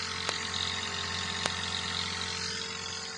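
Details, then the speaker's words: Spray motor in a panel box feeding liquid to drip irrigation, with automatic switching: when the hose is put into water the motor automatically switches on. Smooth constant hum with a steady high whine and no knocks or surging; normal running. "जैसे ही पानी के अंदर डाल दिया तो motor automatically on हो गई।"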